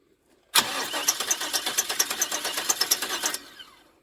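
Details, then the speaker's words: 1999 Chevy Express 2500 van cranking about three seconds, fast steady starter whir, no firing; LED tester on PCM spark signal stays solid, so no spark signal; crankshaft sensor, PCM or security suspected. "and it just stayed solid so that mean the PCM is not sending any signal for spark"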